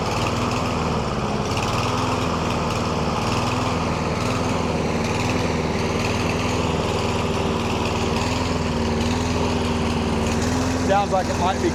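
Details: Lawn mower that surged, hunted, stalled and eventually wouldn't stay running, after treatment with STABIL Fast Fix and STABIL Start Your Engines fuel additives instead of a carburetor rebuild; the engine holds a steady, even note with no hunting or surging and runs great again.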